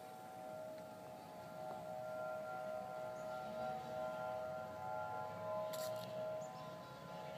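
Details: Faint sustained slightly wavering mid-pitched tone like a distant siren, Denver CO, early November 2012; recurred same time and weekday a month apart, ending in "powering off"; owner assumes mechanized man-made source, unconfirmed.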